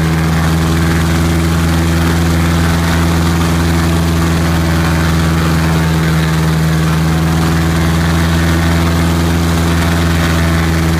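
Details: Piper Apache first start and run-up after rebuild: strong, even low-pitched drone holding steady power, no roughness, surging or misfire; healthy piston engine run-up.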